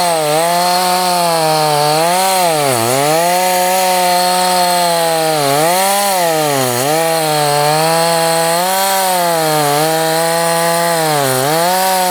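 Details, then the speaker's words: Stihl 026 chainsaw. A high buzzing note dips and bogs with each pass, pulling weakly and roughly. Compression is poor from a scored cylinder, and it also leaks bar oil heavily. "And it does sound even worse after it's ran and it's hot like this. I'll just show you that. Hopefully you can hear all the noises here. That's not normal."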